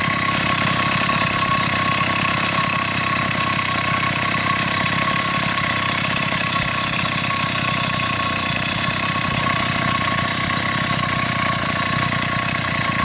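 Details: Chinese 80cc two-stroke motorized beach cruiser bicycle engine after spark problems, with a new spark plug, boot and performance ignition; carburetor issues persist somewhat: steady, even buzz with quick regular firing pulses and no misses or knocks. Normal running.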